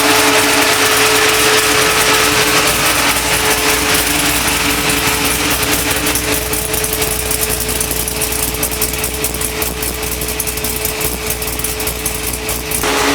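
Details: 1976 Chevrolet C10 truck with LS7 V8, early start after harness rewiring: loud V8 settles into steady, even idle with constant high whine and no misses; sounds healthy.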